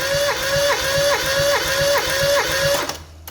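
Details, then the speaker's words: Mazda 323F 1.5 after head gasket failure, with a second-hand head (valves lapped), new head gasket and bolts; compression test on cylinder 4 (speaker thinks) with plugs out. Even whirring crank, about 2.5 beats a second, reads 125: pressure in all cylinders. "Okay, so that's 125. That's pretty good. So that's pressure in all of them."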